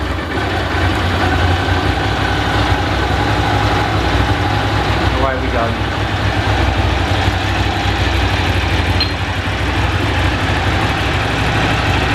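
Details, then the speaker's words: Original, well-kept, little-used motorcycle just after cold start on its choke/cold-start valve, alarm beeping in background: settles into a steady, even idle with a firm low beat and no misfires. "and obviously we've got an oldfashioned choke stroke cold start valve and off we go give that a little bit more"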